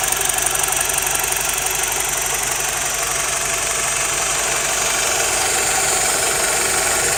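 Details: BMW E87 120i idling: fast, fairly even metallic ticking about three per second, a diesel-like rattle of unknown source.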